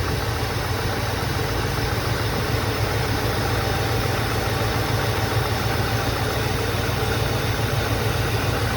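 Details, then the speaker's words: 1984 Mercedes 380SL R107 V8 at idle after new Bosch fuel injectors were fitted for warm-start trouble: slow crank on restart, likely from refilling fuel lines, then a steady, even, low rumble with no misses or knocks. Normal idle. "i thought it wasn't going to start it took a long time to crank and then it started"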